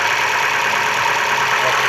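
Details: Opel Astra H Z16XEP petrol engine after intake manifold repair for a knock: even, steady idle with no knocking or ticking; normal idle.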